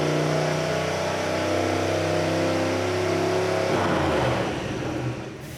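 Engine pulls hard, pitch climbing steadily with no shift break before it drops off; the gearbox never upshifts under load. Cause suspected, not confirmed.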